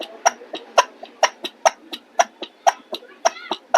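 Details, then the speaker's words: Ceiling fan with worn (cut) shaft that moves in and out when pressed, fan wobbling as it runs: sharp, regular knocks about twice a second; knocking from worn shaft, before repair. "हमारे इस पंखे में आप सुन पा रहे हैं, ये जो आपको आवाज़ आ रही है ये इसके शाफ्ट कटे होने के कारण आ रही है एवं इसका शाफ्ट अंदर बाहर हो रहा है।"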